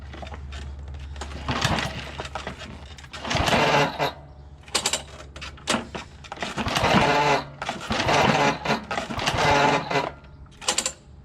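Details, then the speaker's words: John Deere JX75 walk-behind mower after drive cable replacement: several quick recoil pulls spin the engine freely and it never fires; spark not put back on. "Just trying to start it right now. I remembered, oh son of a bitch, I didn't put the spark back on, by taking up all that slack."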